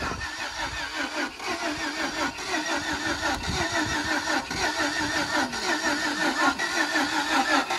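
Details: Jeep Grand Cherokee with smashed radiator, cranked: starter churns in a slow, uneven rhythm of about two strokes a second and never fires, a crank-but-no-start; it had started the other day.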